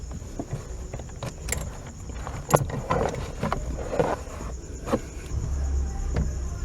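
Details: 1997 Fiat Uno Mille steering: irregular dull toc-toc knocks and a hollow clunk from the column as the wheel is worked, felt like front suspension but traced to the small cardan joint on the steering column shaft.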